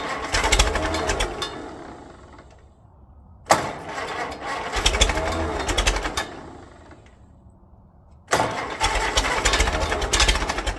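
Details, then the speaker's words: 1946 Case VAC tractor first start attempt after sitting: engine fires in bursts, surging and dying between rough uneven runs with loose clattery beat; runs rough, owner thinks it needs to clean out. "all right it's going to need to clean out"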